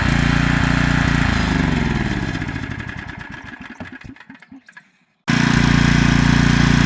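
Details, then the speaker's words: Generac 3500XL generator, long stored, choke off, burning something off. It fires for a couple of seconds, then slows with uneven puffs and dies. Owner first wondered about fuel starvation. "Well, I don't know if it's running out of fuel or what, but it's not running very long."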